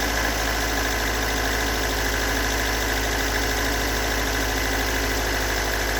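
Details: Stock unmodified bigport blue-top 4AGE in a Toyota AE86, about 195,000 km on the swapped clock, regularly maintained: loud, uneven rough idle with a dull low knocking under the drone, recorded from cold to warm; owner cannot locate the cause.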